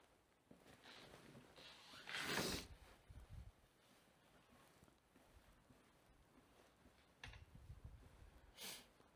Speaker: Also wie man hört, hört man nichts hat d gesten.